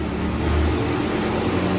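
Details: Twin-tub washing machine, formerly with dead wash tub and slow spin tub, after repairs including capacitor replacement, spin-dry test: steady low spin-motor hum at even pitch, no grinding or rattle; spin tub runs normally.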